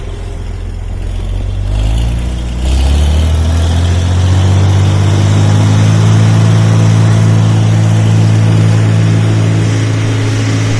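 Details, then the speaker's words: Mixer with hydraulic-motor fan, after fan blade fix and a new hydraulic motor to stop the old hammering: steady, even low hum with only fan whir as it comes up to speed; no rattle, running smoothly. "now you can just hear the wor of the fan you can never hear hear that before it was just so loud"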